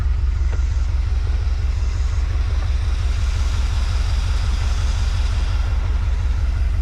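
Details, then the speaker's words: Early-1980s (81–82) Dodge 1-ton truck V8, sat about two years, nearly empty tank refilled with fresh fuel: deep even rumble with steady beat near two per second, nothing irregular; idling like it should, normal idle. "um and it's idling like like it should sounds great"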